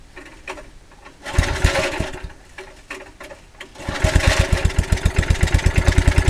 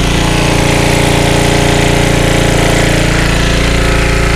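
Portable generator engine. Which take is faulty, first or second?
first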